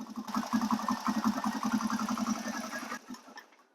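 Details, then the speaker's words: 2005 Honda TRX250EX ATV cranking on the starter with brake held: steady starter chug nearly three turns a second, no firing while cranking, only firing once the starter is released; faulty ignition control module killing spark during cranking. "so it's cranking now and it won't fire but if soon as you release the starter um the energy of the engine spinning if it gets it at the right time um it'll fire see"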